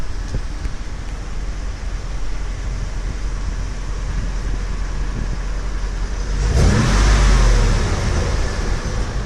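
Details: Rebuilt Brabus 6x6 Mercedes-Benz G-Wagon, recorded outside for exhaust sound: deep steady rumble rising into a clean rev, no knocks or rattles; healthy engine, runs great.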